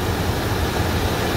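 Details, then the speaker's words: 1995 Chevrolet Suburban after replacing the throttle body gasket, not yet fully warm: low, steady, even idle with no hunting or surging, where before it swung up and down; fix appears successful. "see before what it would do it would hunt it would go way up and drop way down up down up down this sounds consistent smooth i think that did it"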